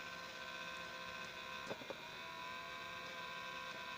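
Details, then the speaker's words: Young Living Home ultrasonic diffuser running with a constant rough buzzing, almost grinding rattle and a couple of brief clicks and diffusing poorly; the ultrasonic plate is suspected faulty, to be replaced. "I don't know how well you can hear it or not but there's a very rough almost grinding type sound whenever you turn it on and you can I'll show that so you can kind of listen to it"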